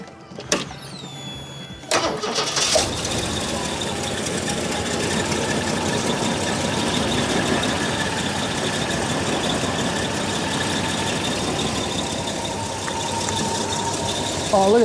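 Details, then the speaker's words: Holden VK Commodore Berlina barn find, stored over 10 years, brown fuel needing new filter: short crank, catches, uneven lumpy idle; much better but still rough running. "that that's way better it's still gry but it is way way better I might just let it go for a bit here"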